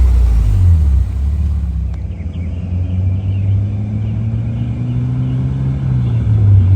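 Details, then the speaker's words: Honda S2000 CR, about 533 miles, sat about 10 years, driven to get up to temperature: deep steady low drone while cruising with faint tinny buzz from aftermarket exhaust; header rattles and heat shield cut. "It's got a really bad drone to it. Of course, the header rattles, the heat shield's all cut."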